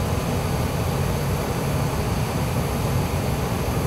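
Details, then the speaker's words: Gas-fired furnace in heating mode after gas valve pressure adjustment, with the manometer reading about 3.47–3.48 against a 3.5 target: steady whooshing airflow and a low, even rumble, no rattles or pulsing. Normal heating with the blower running. "furnaces fired up blower motor kicking we are in the heating mode just wanted to check her again"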